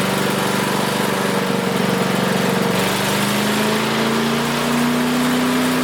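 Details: Craftsman 5 hp wood chipper single-cylinder, revived after sitting 3 years jammed: steady, even drone picking up speed slightly partway, no misses or knocks; initial smoke, likely WD-40 or PB Blaster, cleared and exhaust ran clean. Running smooth.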